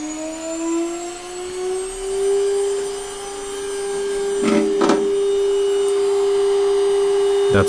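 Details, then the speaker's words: ATC spindle on an Omio X6 6040 CNC router with UCCNC UC300-ETH controller, commanded M3 to 24,000 rpm via VFD over RS-232; VFD fan on. Clean high whine climbs to a constant pitch and holds without wobble or rattle; running healthy. "so in the software and you see CNC we now have control so I don't know if you can hear the VFD fan having turned on let's try m3 as 2400 or 24,000"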